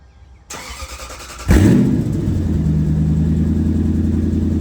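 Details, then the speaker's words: Toyota 100-Series Land Cruiser V8 cranks, fires and settles into a loud, raw, deep idle from a severely leaking exhaust; cats and muffler rusted out beyond patching or welding, needing replacement. "Yeah, I don't think there is repairing or patching this, man. There's nothing to weld on. It's all rust."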